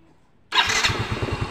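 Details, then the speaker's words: Yamaha Mio M3 scooter after replacing a part that stopped electric starting: one quick light crank and the engine catches at once into an even putter; starting system healthy. "lalu kita tekan electric starnya atau eh starter tangannya dengan sekali pencet sudah hidup untuk mesinnya dikarenakan knya sudah kita lakukan penggantian dengan yang baru ya"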